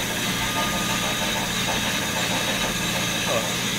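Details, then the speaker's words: Murray riding mower converted to electric (ME-1004 motor, 48V Chevy/GM Volt lithium pack), throttle lever being adjusted: steady, even motor hum with a clean whirr, no knocks or grinding; electric motor running normally. "so this is a throttle control you just up it and change it to the voltage that a year going to be wanting to run the lawnmower at"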